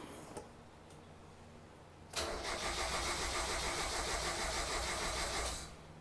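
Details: 1990 Mazda Miata after top-end rebuild, brake booster found disconnected (suspected vacuum leak): starter spins about three and a half turns a second for over three seconds without firing; crank no start, firing order later suspected wrong.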